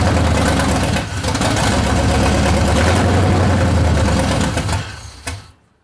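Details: C30 383 stroker V8 after fitting a high-torque racing starter: runs rough and lumpy, then sags and dies within a few seconds instead of settling; engine still won't idle.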